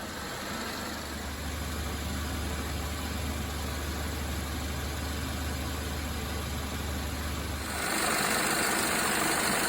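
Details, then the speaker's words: Hyundai Tucson at idle after AC compressor replacement: steady low hum with a smooth compressor whir, no rattle or squeal. Plenty of condensation at 16 °C dew point, discharge line hot, liquid line warm. Normal AC running. "Yeah, that's the beauty of the variable uh displacement compressors is they can maintain a very sensible temperature."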